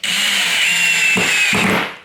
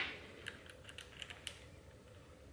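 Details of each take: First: Drill driver (not impact driver) driving a 30 mm screw with downward pressure: steady high motor whine, then two short rasping bursts as the bit slips out of the screw head; cam-out. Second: and you can hear that impact kick in as soon as it starts sensing resistance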